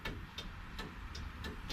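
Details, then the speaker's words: 440 Challenger that sat 15 years without starting: electric fuel pump, believed a Holley blue, ticks lightly about three times a second over a faint hiss when powered; working normally, though the starter button does nothing. "the fuel pump clicks on but it's probably see it's got a holley blue pump i think on it"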